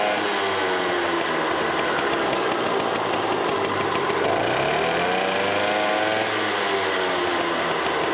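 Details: Green automatic two-speed Pappa Tunturi moped with centrifugal clutch, after carburetor cleaning: small two-stroke buzzing evenly, revs climbing and settling smoothly without stumble or misfire; normal running, jet adjustment pending test drive.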